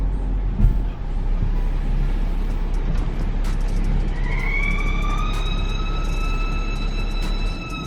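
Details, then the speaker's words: BMW F15 X5, N55 engine, bought at 97,000 miles: low road rumble, then a high steady howl rises and holds as the car slows to a stop. After a valve cover replacement the squeal is quieter but still present. "it seemed to have helped make that issue less pronounced and it's a little quieter when it happens um but there's still an ongoing issue with this howling noise on"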